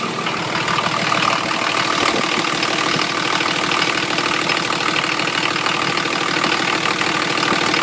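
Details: 1980 International Scout II with factory Nissan SD33T turbo diesel, first run after rebuild, cold idle: harsh, heavy clatter on every firing stroke, louder than others heard; owner unsure whether the cam is to blame.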